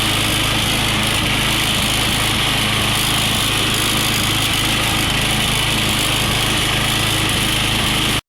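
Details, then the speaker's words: New push mower engine running steady with some smoke: faint dull knock under the buzz; owner suspects a little rod knock, unconfirmed. "runs good, but she got some smoke to her. Sound like a little bit of rod knock to me, but it'd be good to use until she goes."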